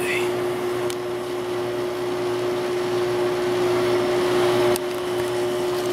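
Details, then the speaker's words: Window AC with an LG compressor, that would not start its compressor cold until a heater was blown into it: a steady low hum with an even mid-pitched tone over the fan. The compressor finally runs. "so let's start it up no compressor yet probably going to have to put the heater in front of this one unfortunately"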